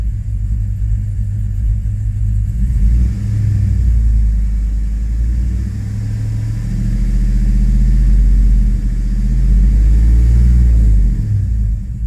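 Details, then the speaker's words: 2005 Chevrolet Tahoe 5.3L 4x4 (new fuel pump, P0174 lean) revved in reverse, headlights dimming: deep, uneven rumble stumbling under throttle; misfire when revved, all cylinders misfiring evenly, cam and crank sensors to be checked next. "our headlights dimmed out and that thing starts misfiring"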